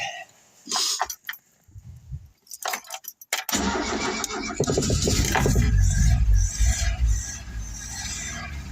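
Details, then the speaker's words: Mk3 Ford Cortina Estate with the airbox off and the mixture screw turned in a few turns; after a short crank it settles into an uneven, lumpy idle with irregular beats, engine rocking and vibrating. Owner suspects timing. "Yeah, it sounds really lumpy. Yeah, it doesn't sound right at all."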